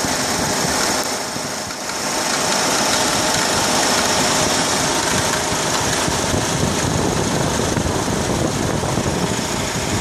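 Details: 2004 Honda Accord at idle with quick, even clicking near the belt drive, about four per second; tensioner seen moving slightly; belt and plugs replaced 1.5 years earlier; cause was a failed belt tensioner, and replacing it cured the noise.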